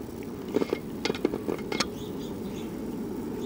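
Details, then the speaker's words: 1969 RCA KCS178A black-and-white tube portable TV, recovered from a desert dump, at power-up while checking for high voltage: sharp, irregular snaps and crackles in clusters over a low hum; high-voltage arcing. "yeah there was high voltage and then something started arcing I hear it somebody is very unhappy"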